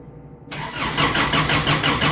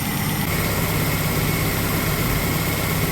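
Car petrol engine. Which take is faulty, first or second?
first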